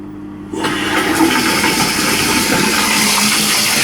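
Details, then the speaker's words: Toilet cistern float valve refilling after the diaphragm washer was replaced, water turned back on at isolation valve: smooth, even water rush with no hammering or humming noise that it made for months before; normal quiet refill. "There you go. No hammering, humming noise at all from there."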